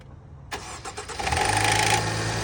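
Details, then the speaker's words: Range Rover Evoque with a harsh metallic timing chain rattle at start-up that carries into the first seconds of idle. The fix replaces the timing chain, oil pump, tensioner, sprockets and cam/intake parts. "Range Rover Evoke time I'm going to show you the noise that this timing chain is making we're going to fix it today listen to this"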